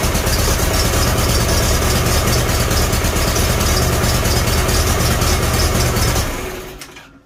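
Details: Farmall Super A tractor after the magneto was reset and timing adjusted. It idles healthy with a steady, even low thump at about four beats a second and no misses until shut off.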